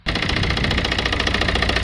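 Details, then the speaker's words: Citroën C3 1.5 diesel returned days after injector cleaning with cylinder 4 misfire, now much worse: uneven, lumpy, stumbling idle with rattly clatter, sounding terrible on rev; injector removal planned, cause not confirmed. "It has got a lot worse. Let's give it a little rev up. It sounds terrible."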